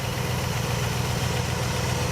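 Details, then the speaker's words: 1967 Buick GS 340 V8 idling after revival, with clean fuel: low, even burble with a regular beat, no misses or stumbles; pretty good, nice and smooth. "yeah let me show you that was pretty good don't you yeah nice and smooth"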